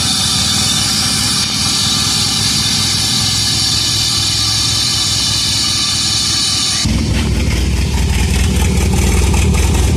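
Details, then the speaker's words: 1985 Shelby Charger after a new fuel pump, tank, plugs, wires, coil, cap, rotor and fresh oil: the engine catches and settles into a slow, slightly lumpy idle that sits low, and it still puffs some smoke. "Idling a little low that time."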